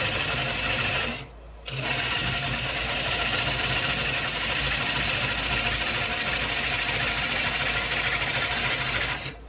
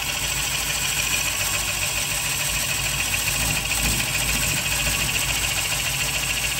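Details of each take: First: the vibration would be less if that Tenon was bigger because I keep my tenons a little bit on the small side I get a little more vibration Second: rest you can see these shavings are having no problems clearing themselves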